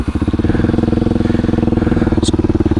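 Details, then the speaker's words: Kawasaki Super Sherpa single, first start after about a year unused, fuel hose refitted with a clamp. It starts right up to a steady, even, slow idle, a little low, no misses or knocks; running fine. "starts right up [Music] good bike speedometer is working neutral indicators working got lights the idle's a little low let's turn up the idle some"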